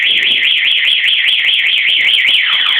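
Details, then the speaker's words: Anti-theft alarm on a Kawasaki Ninja 650 in silent mode: stabbing the key slot switches it automatically to siren mode, a loud electronic siren warbling rapidly and evenly; the bike then cannot start, or dies soon after starting. "ร้องสังเกตมั้ยครับเอ่อเมื่อกี้ผมระบบปิดเสียงแต่ถ้าโดนแทงกุญแจปุ๊บมันจะดีดเป็นระบบหนีเสียงอัตโนมัตินะครับ"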